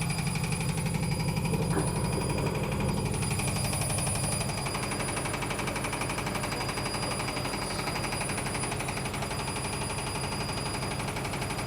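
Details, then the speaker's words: Logik L814WM16 washing machine during the wash cycle: harsh, rough grinding with a steady pulse nearly twice a second as the drum turns; something is dragging, cause not yet found. "I think it's all making an awful grinding sound. Can you hear that grinding?"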